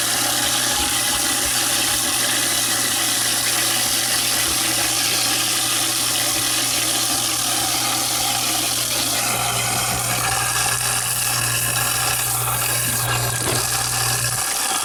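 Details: InSinkErator garbage disposal after repairing its hum/no-start fault: a steady, quiet motor hum with running water and an even crunch as scraps grind; working normally.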